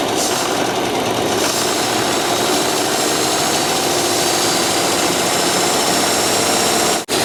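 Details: 1995 Dodge 12-valve Cummins diesel after reinstalling the injection pump: loud, harsh, sustained roar at high revs that never settles back, then cuts dead. Engine running away.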